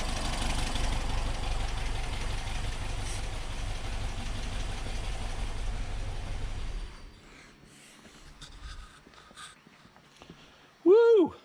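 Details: 1964 VW Type 34 Ghia flat-four, first start after sitting since 1983 with rebuilt carbs. It idles unevenly with a quick irregular ticking over the rumble on one side, then shuts off. The owner suspects a loose spark plug, and the plug is seen moving.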